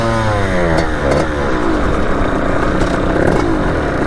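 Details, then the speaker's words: 1989 Kawasaki KX80 big bore two-stroke after a jet replacement, ridden around the yard at high revs. The pitch wavers and buzzes and runs weird with a late power band. It previously bogged at half throttle. "that's how it's running weird so if anyone knows what the heck that is let me know in the comments"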